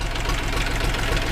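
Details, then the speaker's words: Minitractor engine (KM380/KM385/LL380 type) just after valve adjustment, at idle, knock clearer from behind the radiator: light metallic tapping about four times a second over the idle; cause not found, power loss also noted. "Здесь этого не слышно, но когда мы заглянем за радиатор, звук будет отчетливо слышен. Итак, ребята, пока я не разберусь, что это за звук, в общих чертах, я не успокоюсь, потому что двигатель должен шептать ."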